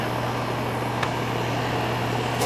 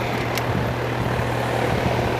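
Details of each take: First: Air conditioner with a no-cooling complaint traced to a bad capacitor: steady low hum with an even fan whoosh and no clicking, buzzing or straining; the compressor comes on and the fan runs normally. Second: Air conditioner with no cooling: steady condenser fan rush over a low hum, no compressor drone, zero amps on compressor common; compressor not starting due to a failed capacitor.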